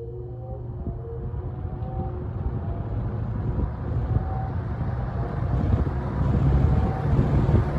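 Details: 1970 or 1971 Windsor (Lakewood P-21) vintage box fan with dirty windings and a slightly unbalanced blade: a low rumbling whoosh swells as the blade spins up on low speed; normal startup.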